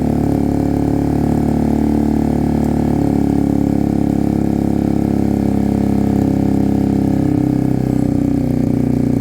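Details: Sinnis Cruisestar motorcycle with newly fitted exhaust pipe, cold start on choke: steady idle with a raspy, chuffing note. The header pipe is loose and not sealed at the cylinder head despite shims.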